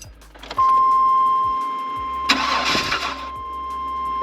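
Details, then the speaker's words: 1999 Chevy Astro van, 100k miles, AWD, lifted 3 in, that cranked but would not start from a failing distributor; after the cap, rotor and distributor are replaced, a short crank, then it catches and keeps running under a steady chime. "hold up yeah all right back in business hopefully don't have to do this again for a long time"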